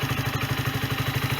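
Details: Sinnis Bomber 125 single-cylinder motorcycle, 2661 miles, after service (new air filter, oil and oil filter) and new exhaust (from an AJS Cadwell) and gasket: steady, even idle putter with regular firing, no exhaust puffing or ticking; runs as it should.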